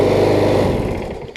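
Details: Briggs & Stratton Quantum engine on a Troy-Bilt push mower, after a new carburetor and conversion from auto choke to primer bulb: an even, steady buzz with no misses or knocks before winding down; runs healthy.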